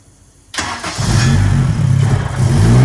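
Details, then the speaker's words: K24-swapped Nissan Cefiro first start, timing locked at 0 degrees, base tune unchanged, turbo oil feed not yet connected. One quick crank, fires straight up, revs smoothly and settles to steady even idle; normal start. "Well, she runs good, fires right up. Now that's with the timing locked at 0 degrees."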